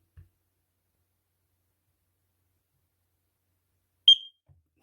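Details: X-Sense wireless interlink heat alarm with a sealed 10-year battery, mounted on the ceiling, test button held: one short, sharp high-pitched bleep, otherwise quiet; the alarm is working.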